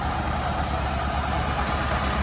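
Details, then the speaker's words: 1985 Ford Escort petrol engine idling warm; runs well cold but now low, slightly uneven throb, blubbing, white smoke from exhaust, prompting a compression test. "Not running great, but she runs. And here's what led me to perform this compression test in the first place."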